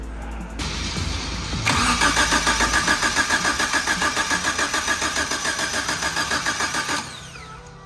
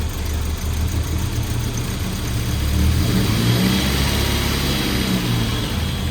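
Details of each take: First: Suzuki Samurai with swapped 1.6L 16V engine, reinstalled after head gasket failure and new head: steady cranking about 3.5 compressions a second for five seconds, not firing; timing thought to be 180° out. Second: Suzuki Samurai with a swapped 1.6L 16V engine after a new head and head gasket: idles smoothly, then revs up and settles back with an even, deep note and no misfire or knock; runs pretty good though timing wasn't quite right and it later died.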